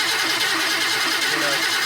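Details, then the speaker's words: 1999 Ford F-250 7.3 diesel, sat at about 55°F, before Archoil AR9100 treatment; steady fast cranking with no firing, never starts; owner suspects bad glow plug relay is part of the cause; hard start. "yeah this is what my truck does as you could guess it doesn't start I know the globe plug relay is bad too so that's probably part of the problem"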